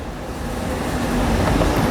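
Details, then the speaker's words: Window air conditioner after reassembly, rubbing caused by a loose part whose screw mounts had broken, now refitted: steady low fan rumble spins up with no scraping or rubbing. "e pronto sem apertar ela já parou"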